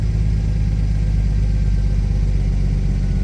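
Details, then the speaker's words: 1961 Studebaker Lark that had failed to start with smoke from under the hood, possibly flooded, low fuel on an incline: steady, even low rumble idle with no misses, knocks or hunting; sounds fine. "So, yeah, sounds fine."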